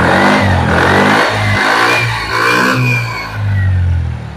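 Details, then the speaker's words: Suzuki Spin 125 with bad stutter, carburetor serviced: after the broken ignition cable was reconnected, revs rise and fall cleanly with no stumbling or popping; running normally. "itu motor langsung normal"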